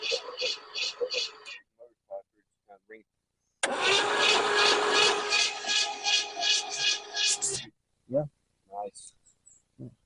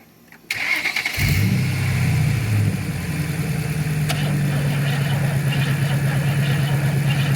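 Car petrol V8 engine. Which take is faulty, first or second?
second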